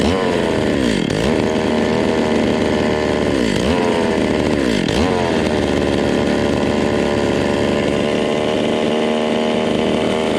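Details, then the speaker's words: Vintage Stihl 020 top-handle two-stroke chainsaw, cold, new plug wire fitted, low jet adjusted: high buzz sags sharply then holds fast; runs only with fast idle and shuts off when idle is turned down; owner suspects ignition (coil), not fuel. "See, once you slow the idle down, bam, it just shuts itself off. That is weird."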